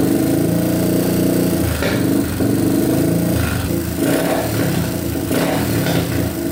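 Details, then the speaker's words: Yamaha TTR230 single, bought non-running, just restarted after carburetor float repair and oil fill: revs up and down with uneven pops and crackles off throttle; owner wonders about exhaust leak. "Alright, it's sounding a little bit better. It's still popping, though. I'm not sure if it has like an exhaust leak or what, but it's popping pretty good."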